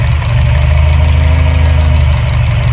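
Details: Subaru STI with EJ257 flat-four on flex fuel, new fuel pulse dampers with boost reference and AEM 3.5 bar MAP sensor, fuel pressure solid though damper bolts sweating: steady, even idle with no misfire or knock; normal idle.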